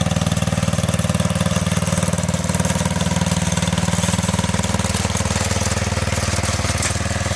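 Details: 1985 MTD two-stage snowblower, single-cylinder engine run with half the housing off after a carburetor adjustment: quick, even pops at fast idle with no misses, surging or knocking; runs healthy.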